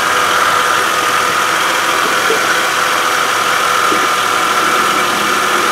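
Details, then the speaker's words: 2013 Kia Sorento AWD 3.5 L V6, just under 80,000 miles, chasing a pulley noise: steady even whir at idle from the power steering pump, no whine or groan; pump healthy, idler pulley suspected. "That's power steering pump in the back, nice and quiet."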